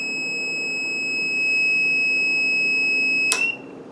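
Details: Solar-system power inverter with battery input reading 10.5–10.6 V, batteries expected at 13.5 V: steady shrill single-pitch beep held over three seconds, then cut off; low input voltage alarm, owner suspects the inverter rather than the batteries.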